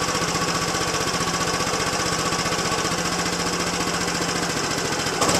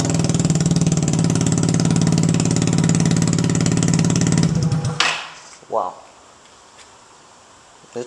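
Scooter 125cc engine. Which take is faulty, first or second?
second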